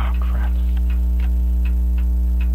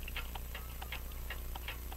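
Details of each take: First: French crystal regulator clock with an open escapement and jewel-like pallets, sold as non-running, recorded with a dumpster-found microphone: light ticks around three per second over a loud mains hum. Even after beat adjustment the tick-tock spacing is lopsided, slightly out of beat. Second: French crystal regulator clock with an open escapement, sold as non-running, possibly made by Vincente, recorded with a dumpster-found microphone: a quiet, crisp tick-tock at about four to five ticks per second with fairly even spacing. It sounds in beat.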